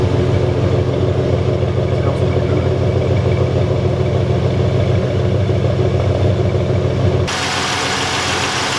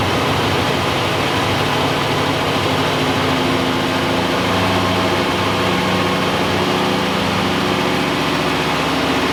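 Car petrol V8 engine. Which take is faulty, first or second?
second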